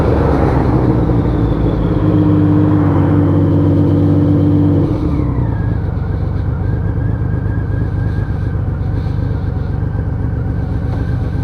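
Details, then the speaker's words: Honda Valkyrie 1500 flat-six after full engine rebuild, riding on the road under load: steady deep drone pulling cleanly, note easing after a shift, no knocks or rattles; engine running normally and sounding healthy. "There we go, doesn't that sound sweet?"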